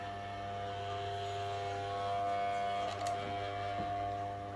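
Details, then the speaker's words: Ceiling-mounted high-angle fan whose blades previously shattered, motor shaft checked and tight: tilted down about 45 degrees it gives a steady hum with a constant ringing tone; owner suspects shaft or tilt angle; fan noise when tilted. "ลองฟังนะพอก้มลงมาประมา45องศนะพัดลมก็จะดังนะ"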